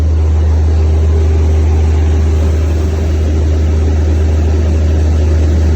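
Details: Natural-gas engine after a crank-no-start fixed by reopening the shut-off gas line: deep, steady, even drone with no stumbles or surging, holding speed smoothly; normal running.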